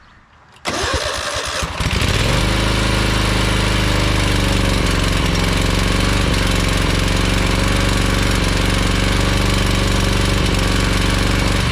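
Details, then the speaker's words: Ferris 52-inch commercial hydro walk-behind mower twin, before repair: brief crank then lumpy, uneven beat, smoking and worse with PTO engaged, low power; running on one cylinder, its plug and valve cover cold, from a carb o-ring blocking a fuel jet. "you can here and see it's smoking and especially when you engage the PTO it runs even worse it doesn't have a lot of power"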